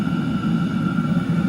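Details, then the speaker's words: Chinese diesel heater for a car-camping trailer, fan set to full, outlet air around 160 degrees and the metal centre over 300 degrees: steady, even combustion roar with a constant fan hum, no surging or popping; normal running at full output. "I have the fan set up all the way. I learned if I press this down, the fan down."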